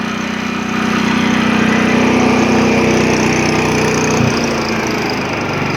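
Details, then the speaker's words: 1980s Honda HT-R 3009 riding mower, Japanese import, after choke start, throttle in low speed: steady even quiet putter with no knocks or misses; healthy low-speed running. "you put it down in the low speed, you could hear me no problem."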